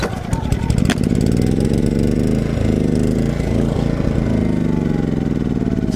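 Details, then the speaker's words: Portable generator, not fully warmed up, before charging a Tesla Model X: chugging unevenly, speed hunting up and down, wanting to die; engine surging, owner suspects cold running, not confirmed. "if you let it run for sustained times when it's not entirely warmed up it seems like it wants to to die and it seems to kind of surge a little"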